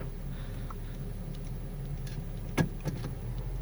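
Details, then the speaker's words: Healthy Honda Civic with 432,000 km, started cold and in reverse gear, as a reference against a car with a failed top engine mount: a low, smooth, even idle hum with only faint clicks and no thumps or rattles. Normal idle. "no real terrible noises all stick and drive"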